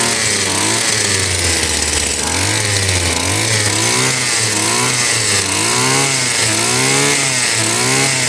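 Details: Stihl FS 76 brushcutter, probably over 20 years old: small two-stroke buzzing at high speed, pitch wandering up and down rather than steady; carburetor barely moving fuel, suspected worn and may fail on cold start.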